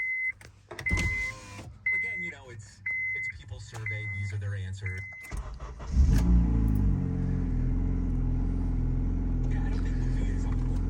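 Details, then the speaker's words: Honda Civic bought cheap, as sold before shop exhaust repair: chimes and door sounds, then cranks and settles into a deep, loud, droning idle; loud exhaust, owner says it needs exhaust work. "before taking it to the shop and getting the exhaust fixed this is how they sold the car so see this is what the car sounds"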